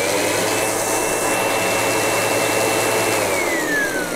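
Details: Windsor Sensor S12 vacuum after repair of a failed control board and a wire with no continuity: steady high motor whine at even pitch, winding down smoothly at switch-off; runs normally.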